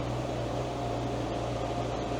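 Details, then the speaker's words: 2012 Mini Cooper 1.6L with a misfire, after shut-off: constant even whoosh with a steady low hum. The radiator cooling fan keeps running and will not stop; codes point to coolant temp sensor, thermostat or water pump. "Yeah, I can hear the fan going. And the fan won't stop. So, that's one thing to keep in mind is it will not stop."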